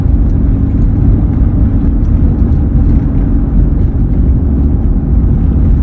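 Constant low drone rides under the road noise at steady cruising speed; a droning hum whose source is not pinned down.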